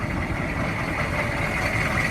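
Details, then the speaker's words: 2002 Chevy 3500 utility truck, 6.5 L diesel, 89,150 original miles: loud but steady even diesel clatter at idle, no misses; idles smooth, though something sounds rough in the front. "This is an old work truck, but it looks like it still has a lot of work left in it. Diesel engine sounds loud. It all appears to be complete. Idling pretty smooth,"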